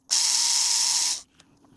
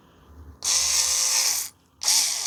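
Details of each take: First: Arrma Kraton 6S RC differential rebuilt with ADU parts, refilled with heavier fluid, turned by hand: harsh high-pitched gritty whir then stop; diff grinding and binding, sounds like locking up, screw thread found mangled, metal debris. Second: Arrma Kraton 6S differential rebuilt with ADU parts, spun dry before the diff oil goes in, after a tight part was removed and refitted: short bursts of light, even gear whir with no grinding or catching; it turns smoothly.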